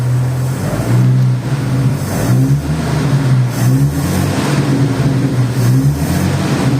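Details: Chevrolet 292 six-cylinder with electronic-ignition distributor, revved after an Equus tachometer install: strong rumble rising and falling smoothly with the throttle, steady even firing, nothing knocking underneath; healthy engine, tach working correctly.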